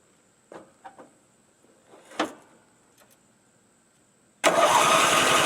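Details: Craftsman L9 lawnmower with Briggs engine, after replacing the faulty starter with a new aftermarket one: a few quiet clicks, then the engine catches at once and runs strong and steady; normal start.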